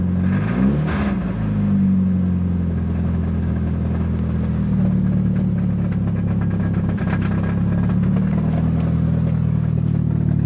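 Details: 1990 Nissan 240SX on cold start, clutch let out: rough idle with a dull, uneven knock underneath; cause found to be a loose flywheel not fully tightened by a shop, which loosened the transmission and it locked up.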